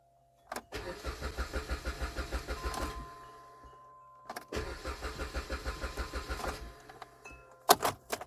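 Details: 2010 Jeep Compass no-start, before repair: two bursts of steady starter cranking, a couple of seconds each with even compression beats, but it never fires.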